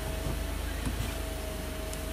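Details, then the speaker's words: 2011 Kia Sorento idling after repair: low, even hum with a faint steady tone, and the years-long clicking at the gear shifter when the brake is pressed is gone; fixed with an O-ring on the shifter lockout lever pivot shaft. "so I got everything back together cars on and I do not hear that clicking anymore"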